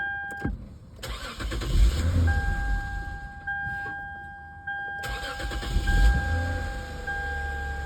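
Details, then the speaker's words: 2007 Lexus IS350 with a no-start, codes U0100 and U0105: with the fuel rail pressure sensor (behind intake manifold) unplugged, two quick cranks each catch and settle into steady idle with a chime, confirming the faulty sensor. "07 Lexus IS 350, no crank, no start. I'm going to unplug the fuel rail pressure sensor."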